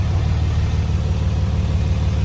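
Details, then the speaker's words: 2006 Dodge Cummins 2500 Megacab diesel after a CTS3 tuner and 100 hp injectors: a steady, low, unbroken idle rumble with no knocks or misses; it idles smoothly. "nice decel i think it's good to go sounds smooth um"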